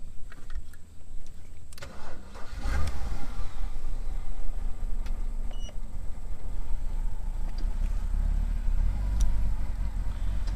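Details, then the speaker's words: BMW E60 (Copart car) on replacement eBay ECU, restart after stalling: lumpy uneven idle with rough low rumble; codes camshaft position sensor B bank 1, intake manifold differential pressure high, cylinder 1 misfire; cause suspected, not confirmed. "Running weird, man. Camshaft position sensor B circuit bank 1. So we need to check that sensor."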